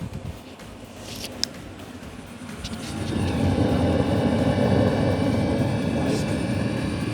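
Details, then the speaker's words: Diesel heater just cleaned of bugs and burner blown out, starting up: soft whirr swells into steady, even roar after about three seconds, no sputter or knocking; fan spinning, heater lighting and running properly. "go the and also the fan is spinning and the heater is stting up yeah so everything's fine"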